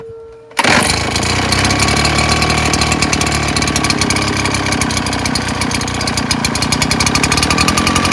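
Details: Husqvarna 580BFS backpack leaf blower, complaint it runs at full throttle then dies; fuel filter, mixture screws or clogged carb suspected: catches suddenly and runs rough at high revs, speed wandering.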